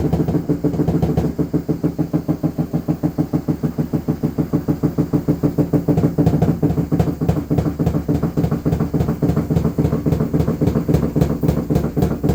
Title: LG washing machine noise, getting worse